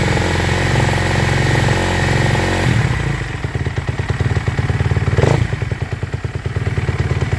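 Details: 2014 Kawasaki KX250F after replacing burnt clutches with new EBC plates; before the swap it would not move in any gear. Single-cylinder thumping settles into a steady idle with one throttle blip, running evenly with no clutch rattle or slip.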